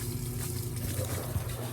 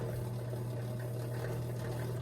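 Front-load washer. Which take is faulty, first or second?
second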